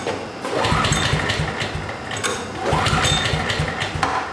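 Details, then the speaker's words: Generator that ran fine six months ago won't start after storage. Two pull-cord cranks show compression but it never fires. Moisture-laden stored gasoline is suspected, possibly the spark plug, not confirmed. "So first up is this generator, and this is probably the most common reason generators won't start after being stored for a while, because gasoline absorbs moisture from the air."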